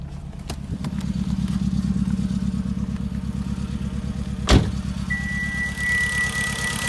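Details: 2013 Hyundai Genesis Coupe 2.0T Premium: uneven lumpy idle with regular stumble, misfire from no compression on cylinder 4; dealer suspects a possible hole in the piston.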